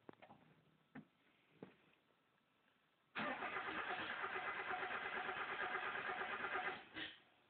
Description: miata turns over but wont fire up...